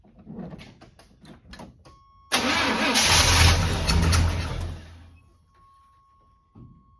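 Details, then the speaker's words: Abandoned barn-find square-body Chevy truck, fuel being primed through the pump and filter: slow, even cranking then a short rough burst that fades within seconds; cranks but won't keep running, timing suspected off. "well it's trying to [Music] huh I think it's because the timing's off you ain't pulling it over for some reason I don't know why"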